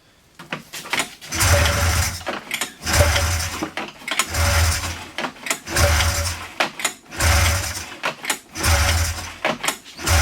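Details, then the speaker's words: 1997 Polaris Indy Classic snowmobile, barn find with new hoses and fresh premix: short electric cranking bursts about every 1.5 seconds, never catches; no fuel reaching engine because new tank pickup hose stuck around fuel level rod. "hmm I know it shouldn't be firing yet but make sure that that hose I put in there isn't sticking straight up"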